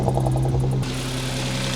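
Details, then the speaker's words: 2014 Audi S4 (supercharged) with replacement engine after cylinder 4 failure, first start; fast, even ticking over a smooth idle, normal injector tick for this engine. "it or not, that loud tick is actually completely normal for these engines. She's running pretty happy, guys."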